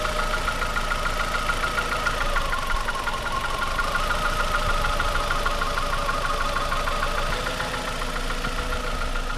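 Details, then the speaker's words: $50 car at idle during a coil-pull cylinder-deactivation test: light, fairly regular knock about three per second that stays with each cylinder pulled, so most likely not a bottom-end rod knock. "the knocks they don't weigh the whole time I mean it remained which means you know it's not it's most likely now bottom"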